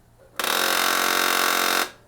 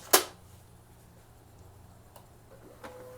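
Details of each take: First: HP LaserJet 1018 printer at power-on: loud harsh grinding buzz for about 1.5 seconds from a gear jammed and not rotating, something stuck beneath it; toner cartridge removed to reach it. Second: HP LaserJet 1018 printer starts with a sharp click, then a quiet low hum and faint steady tone with no grinding, after a foreign object stuck in the gear area was removed.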